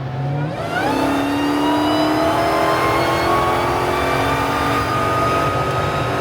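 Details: Dodge Demon 170 under heavy acceleration: a thin, steady whistle rising with revs from behind; the dealer's Stellantis field engineer called it normal, but the owner disagrees, and the cause is not found.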